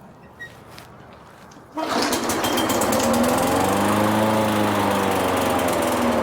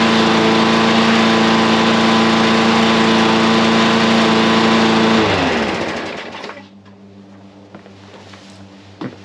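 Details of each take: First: Craftsman mower with Briggs and Stratton engine, pull-started unprimed after spraying carb cleaner into the carburetor emulsion tube; runs at slightly wavering speed with a faint stumble, hesitation assumed from carburetor not fully cleaned. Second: Briggs and Stratton small engine after a second carburetor cleaning: holds a steady, even, high-pitched run for five seconds, no longer running slow, then winds down smoothly at shutoff; healthy running.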